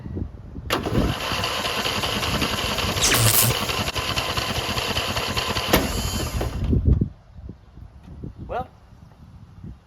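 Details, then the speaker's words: Craftsman riding mower with a Briggs & Stratton 14hp engine, after a starter replacement, cranks briskly for about six seconds but won't fire. Owner suspects a cranking fuel issue; the spark plug was fuel-soaked. Hard starting. "still starts as poorly as it ever has, but now it cranks much faster as it's attempting to start poorly."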